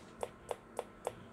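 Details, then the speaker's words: Macintosh Plus CRT analog board chirping with sharp, even chirps about every quarter second after reconnecting the analog board during repair; it should not make that sound, voltages to be measured, likely misadjusted supply voltage. "it should not make that sound so something else is wrong with this computer I need to troubleshoot it some more"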